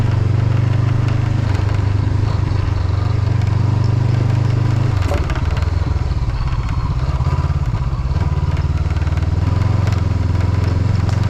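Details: Motorcycle riding on a Norwegian road: irregular light windshield rattle over deep engine drone and wind, caused by a lost windshield mounting screw.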